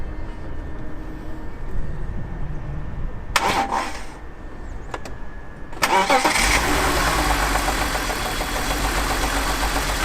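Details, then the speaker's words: BMW E46 325ti inline-six after rocker cover gasket replacement: cranks, catches, then lumpy uneven idle with a stumble; misfire, suspected from unseated ignition coil connections. "Got a misfire. What's that mean?"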